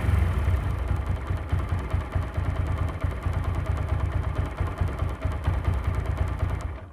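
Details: TVS Apache RTR 4V single-cylinder bike engine after sound-problem repair: steady low beat, settles without clatter before shutting off; running normally.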